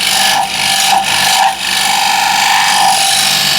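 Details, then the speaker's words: Woodturning scraper on a lathe before sharpening: harsh rasping scrape with a steady high squeal and vibration, no clean cutting hiss; dull scraper must be forced hard to cut, tearing grain. "So I would have to push really hard in to make it cut, which is not what you want to do with scrapers."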